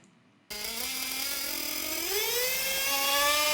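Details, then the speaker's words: Small 1/8-scale RC nitro engine, throttle opened slowly: after the initial rise the revs climb sluggishly and unevenly, with more smoke and lower, slower revs on faster throttle, loading up like a rich low-speed needle; rich mid-range carburetor setting. "i'm pulling the throttle opening the throttle slowly and you can tell that after that initial after the revs go up initially you can hear that the engine is richer"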